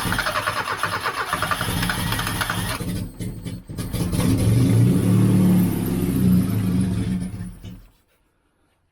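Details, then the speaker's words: 1989 Austin Mini Designer, 998cc A-series engine, restarted after about three years unused, running on some choke to raise revs: rough loud exhaust, fast fairly even beat; no tapping noises, running quite smoothly, normal. "I've got that running down a bit of Choke just to get the revs up a bit I'll push the choke in after a minute or two once it's establish itself"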